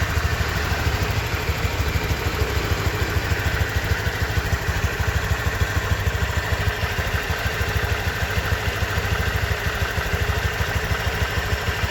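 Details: Honda Vario 125 2023 scooter at just over 1000 km, engine sound check: steady, even low idle putter with a regular beat, no ticking or clatter; owner reckons it runs smoother than at 500 km; normal idle.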